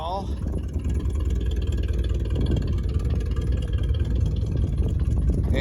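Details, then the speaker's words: 1979 Chevy C30 V8 idling on first run after eight years stored: rough, uneven rumble with raspy puffing chuff; owner reports exhaust leaks galore. "there are exhaust leaks galore no missing a dual"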